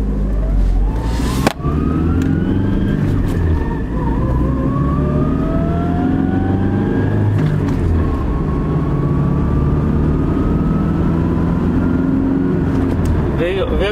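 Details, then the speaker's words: 2002 Toyota Tacoma 2WD, 202,000 miles, 4-cylinder, 5-speed manual, in for a shake at 40 mph that isn't present now: a whine rising with road speed through the low gears. Mechanic judges the transmission too noisy; gear oil was topped up last year, and he recommends changing it. "Will you not say that those low gears are too noisy? I know these cars pretty well, and I will say that's not okay. I think it's too much noise."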